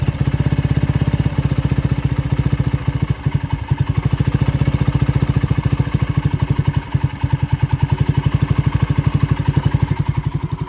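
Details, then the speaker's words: Neglected 2010 Polaris Ranger RZR 170 after sitting for years, running: steady, even idle with no misses or knocks, smoke seen is exhaust moisture, not burned oil; normal idle. "that smoke that you see is just like moisture inside the ex aome it doesn't smell like burned oil this thing sound like everyone's good now all they needed just for me to flop out that [Music] thing"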